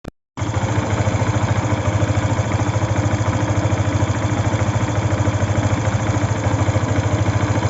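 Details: Yamaha FZ V2 motorcycle at idle: a regular tapping pulse roughly three times a second rides over the exhaust beat. Abnormal engine noise, source unclear.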